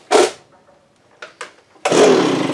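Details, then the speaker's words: Echo leaf blower, small two-stroke, after brake-cleaning gelled fuel from the tank: rasping pull, two weak catches, short ragged burst that fades; hard starting, spark plug heavily fouled, owner suspects gummed carburetor or rings. "that doesn't look very good that does give me the hard start but all kinds of crap on that plug"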